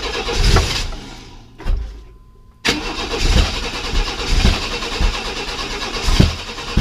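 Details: 1995 Chevy S10 Blazer, 4.3L Vortec V6: cranking, a pause, then it bursts into rough running on starting fluid. This shows the timing, previously 180° out, is now right.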